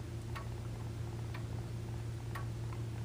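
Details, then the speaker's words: Grandfather clock after reinstalling the pendulum: crisp, evenly spaced tick-tock about once a second with no limping tuck-tick rhythm; clock is in beat. "and you can hear that we have a nice even beat we're not getting a tuck tick tuck tick tuck tick we're getting a nice even tick tock tick tuck tick tuck"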